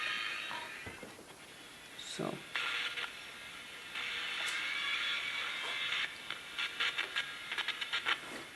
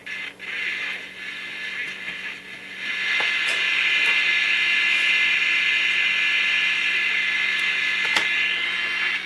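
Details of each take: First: Mid-1960s General Electric transistor radio under repair: tinny audio keeps cutting in and out with abrupt dropouts and crackly bursts from a flaky connection; a bad speaker wire, to be replaced and resoldered. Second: Mid-1960s General Electric transistor radio after resoldering poor connections and bridging a connection with wire: tinny station audio playing steadily with no crackle or cutouts.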